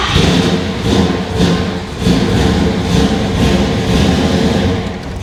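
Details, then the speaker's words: Chevrolet Monte Carlo with freshly built V8, first start: fires in uneven surges, revving and sagging without settling to idle, won't stay running. Not firing right; owner suspects it needs more ignition timing. Oil pressure came up. "Yeah, it's not. It's not firing. Okay. So, it feels like it needs a little bit more timing."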